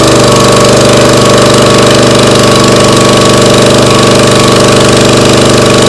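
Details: Briggs & Stratton CR950 208cc engine on a Diamond 25-ton log splitter, running after carburetor cleaning for a no-start after a couple of years unused: loud, steady single-cylinder putter at an even pace, no misses or sputters.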